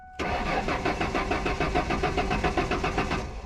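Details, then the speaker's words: 1999 Ford Mustang convertible 3.8 V6, intermittent no-start: starter cranks evenly at three or four beats a second but never catches; apparently fuel pump losing prime or fuel system losing pressure. "so we got a little bit of a fuel delivery issue and right off the bat it seems like the pump is losing its prime or the fuel system is uh losing its pressure"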